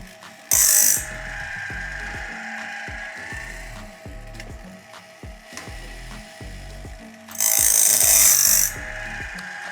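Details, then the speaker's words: Logosol Grindlux automatic band saw blade sharpener: regular clicks about four a second indexing tooth to tooth with short bright grinding bursts on the tooth face and gullet; normal, correctly set grinding cycle. "as you can hear we are grinding a little bit on the face and a little bit in the garlic as well and that's perfect"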